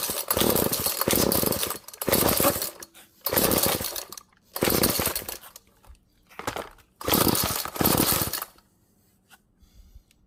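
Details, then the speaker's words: Found GTI 16D string trimmer two-stroke after choke attempts and more fuel: catches and revs hard in repeated bursts with clean, crisp pickup, dropping back between; normal running. "so yeah that's good to hear that this thing actually started sounded good off camera i pulled it one more time"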